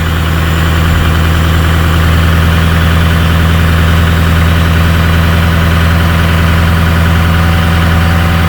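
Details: 2006 Ford F-250 with the 6.0 Powerstroke diesel, high idle switched on through an upfitter switch with the parking brake applied, for faster cold-weather warm-up. An even, steady idle held at raised speed with no misses or knocks.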